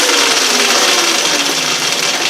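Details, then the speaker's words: Yamaha WR250E electric conversion with new EBMX X-9000 V2 controller, initial setup; after a throttle blip with no regen, high whine slides down evenly as the wheel coasts freely without drag: normal free spin. "Okay, good. Okay, now I'm going to blip it and let it free spin."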